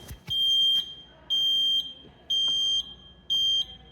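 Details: Taylor C723 soft-serve machine at power-on after thermistor plugs reconnected: four shrill half-second beeps, one each second; left hopper thermistor reading wrongly (107°), flagged as failed and being replaced.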